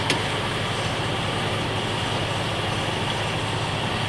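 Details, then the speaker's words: Jeep CJ-7 after new fuel tank, fuel pump and gauge fixed a no-start: quick start, steady even drone with no misses, knocks or stumbles; running smoothly. "Oh, yeah, she's spraying out. Well, it's one of the quickest times to start."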